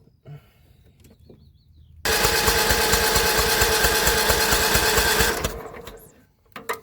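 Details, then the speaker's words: John Deere L110 lawn tractor that sat three years with its carburetor removed: the starter churns evenly at about three pulses a second for three seconds and never catches. The spark test shows no spark; the owner plans to bypass the safety-switch kill wire. "Alright, so there's no spark there. So that could be the reason why they pulled the carb off, I don't know."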